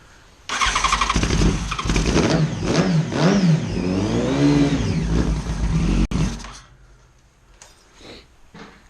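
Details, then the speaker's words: Neglected 2011 Yamaha FZ1 motorcycle, first run after sitting: it catches quickly, then revs rise and fall cleanly through a loud, raspy exhaust before shutting off; the engine runs fine. "There we go. It's so loud. Okay, that's good. The neighbors are going to be mad."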